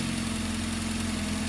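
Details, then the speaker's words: Ford Duratec engine idling cold: light, quick lifter tick over steady idle, normal until warm as lifters don't hold enough oil for the top end; fades as it warms up. "You hear that knocking? That's a common sound on a Duratec till it warms up. Once it warms up, that noise goes away."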